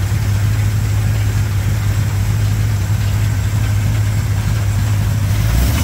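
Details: 1987 Chevrolet K10 4x4 truck, first run after blown head gasket replacement, warming up: deep, steady, even V8 idle, smooth low rumble with no misses, knocks or ticks; normal healthy idle.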